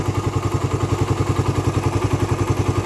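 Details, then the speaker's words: Raider 150 carb motorcycle, hot idle: sharp, very regular top-end clatter three to four times a second, quiet when cold, noisy only once hot; owner suspects compression release or tensioner, unconfirmed. "kapagka mainit lang siya tsaka siya dumarating ng ganyan pa-comment naman Guys kung ano yan ang hinala ko kasi diyan kundi yung tinatawag nila na compression release o kaya tensioner"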